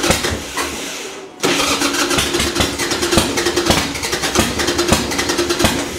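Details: Harley Sportster that fouls plugs, with a new battery, in neutral and on a little choke: the starter churns about four beats a second but the engine never fires; crank no start, suspected flooding.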